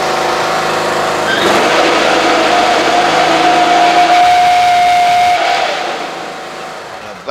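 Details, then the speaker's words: Husqvarna riding mower (same as AYP Craftsman), blades engaged: loud steady whine over the engine from worn deck spindle bearings, ruined by running badly worn, out-of-balance blades; fix is replacing spindles. "I wonder why is making racket those ought to cut another yard or two what you think when you let your blades get that bad they're out of balance"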